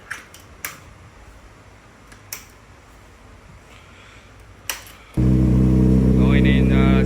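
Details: CFMoto 450SR: a few sharp clicks, then a steady, even starter whir with no firing. Cranks but won't start.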